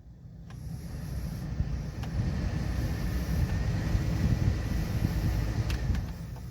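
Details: 2003 Dodge Caravan blower after replacing fan switch: smooth steady rush of air, low at first and building as speed is stepped up, no rattle or squeal; blower working normally, problem solved.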